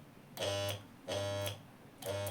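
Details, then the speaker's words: Washing machine spin motor bench-tested after wiring on board supply: three half-second bursts of steady low electrical hum, no spin; motor powered but stalled, suspected bad rotor, then smoke as winding burned. "इसका rotor खराब हो चुका है शायद क्योंकि यह आवाज तो कर रहा है आप देख सकते हैं लेकिन यह घूम नहीं रहा है"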